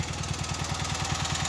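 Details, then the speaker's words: Revived Cub Cadet 782 Kohler single-cylinder at warm idle after carb cleaned of rust and pulse pump fitted; oil pressure drops to about 10 psi warm, owner unsure if gauge or engine wear; even thump about ten per second, no misses: normal. "I think we got a pretty sweet little little Runner"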